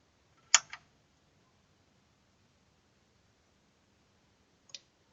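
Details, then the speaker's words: Amfiton 002 amplifier that hummed at power-on: click at switch-on, about four seconds of quiet, then a second click as the protection relay engages normally. "релюшка за щелкнуло гонит лучше так не делать но для видео я думаю что и показать подцепим"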